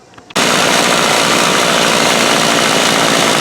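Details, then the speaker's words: Remington Rustler RM2510 25cc two-stroke trimmer at high revs: harsh rapid buzz with fast rattle from a loose cable flapping inside, loose piece on the end; engine runs well, cheap starter assembly faulty. "thing runs like a top you hear the cable in there kind of flapping around I got I'll show you I got a piece loose on the end"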